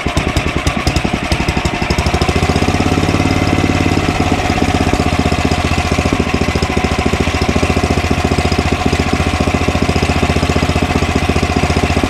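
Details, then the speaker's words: Ariens snowblower Tecumseh Snow King engine, just started on electric start, at governed speed and lowered to idle without stalling: rapid popping whose speed swells and eases, mild surging; carburetor looks clean. "we did nothing to put gas in it and it starts and runs uh surges a little right uh but not as bad as the other one we did the other day"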